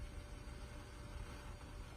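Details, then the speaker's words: Instant Pot on manual pressure-cook with a dozen eggs on the trivet above water: a soft, steady low hum with a faint even tone and no clicks or hiss, the normal noise while coming up to pressure before cooking starts. "So I just wanted to show you the Instapot as it begins to pressurize. You can hear it making noise."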